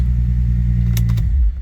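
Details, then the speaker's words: 2005 Bentley Continental GT starting after key programming: smooth, even low rumble at idle with no misses or knocks, then key clatter and clean shutoff; normal idle. "And now start it up. You can see that now works."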